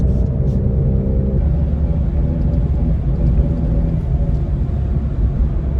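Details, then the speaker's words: Rebuilt Mini JCW on its first drive after passing inspection and an alignment: a deep steady hum under road noise, present going straight and turning left but gone turning right; owner suspects a worn wheel bearing. "Turn right, it's fine. When I turn left, it's there. In a straight line, it's there. I have a feeling I'm going to have to order a wheel bearing."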